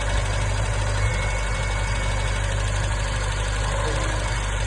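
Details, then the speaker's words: Triumph Spitfire warming up at idle after a points gap adjustment and a reattached plug lead: a deep, uneven idle with a loose, shaky undertone, a strange noise and a sudden high vibration, source not yet known. "I'm get the strange noise now. There, don't know what's making that noise. And it's suddenly starting to vibrate quite high without me doing anything."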